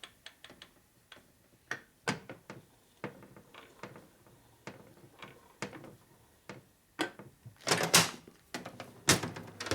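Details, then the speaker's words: 1978 Harley-Davidson Shovelhead motor on the bench during machining: cam gear rocked by hand gives irregular sharp metallic clacks about once a second; loose mesh between pinion and camshaft gear, will sound like loose valves each time the cam goes over center. Excessive cam gear backlash. "Your teeth are they're really loose right now. They're going blah, blah, blah, blah. Okay. It's going to sound like loose valves, see? Every time the cam goes over center, it's going to make that noise."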